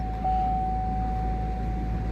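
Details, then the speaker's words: 4.2 Envoy first start after purge/EVAP and O2 heater circuit fix, brake booster hose reconnected; smooth raised cold idle without the usual misfire, intake previously cleaned for low idle code; normal cold start fast idle. "sounds good look at the idle it's up or pretty high like it should be when you first started because I cleaned out the uh intake in another video because it had a low idle code"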